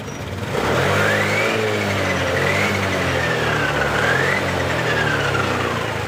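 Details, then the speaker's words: Honda Beat LED Deluxe scooter, earlier cutting out with code 7, revs up and down cleanly without stumble after DTC cleared; loose EOT oil temperature sensor socket suspected, to be cleaned and tightened. "Oke, sudah normal."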